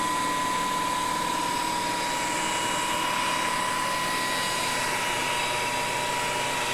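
Smooth constant whine near one kilohertz over a steady airy hum, no pitch wobble or knocking; drive and motor running normally.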